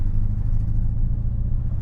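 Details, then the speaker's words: Long-stored car (MG ZR or Mk1 Ford Focus) driving over the Alps about 130 miles after developing a misfire, with no power: deep droning rumble with an uneven, lumpy pulse under load, the beat of a dead cylinder. "The car's making horrible noises because of the misfire, and it's like an awful drone that's giving me a headache."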